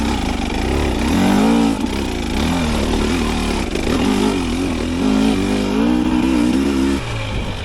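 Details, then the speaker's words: 2025 Husqvarna TE300 two-stroke TBI on stock ECU mapping, steep hill climb after revs dropped too low: revs waver and sag, labouring to recover under load; hesitation attributed to stock fuel mapping. "you're gonna see me make a mistake and I'm gonna drop my revs down. The TBI is gonna struggle to recover"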